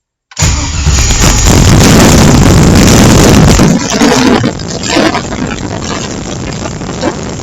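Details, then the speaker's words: LS-swapped engine on a MicroSquirt ECU via TunerStudio: after the fuel table was raised, the engine catches at once, flares loudly, then settles into a steady, even idle. It now starts normally. "so just like that all I did was drag this up and now it starts so it's kind of cool"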